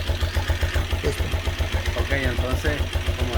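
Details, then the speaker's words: Raybar motorcycle idling after repairs to cure a strange engine noise: steady, even single-cylinder thump about four beats a second with no ticking or clatter; the noise is gone, healthy idle. "como pueden escuchar el motor está encendido a la vez y ni se y ni se escucha como dice"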